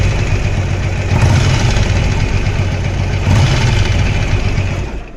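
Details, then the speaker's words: Yamaha XVS 1100 Drag Star V-twin at idle: light, irregular ticking knock from the right side over the lumpy beat; source unclear, tensioner and compression to be checked. "вот идет идет небольшой стук вот отсюда сейчас заведу послушаете"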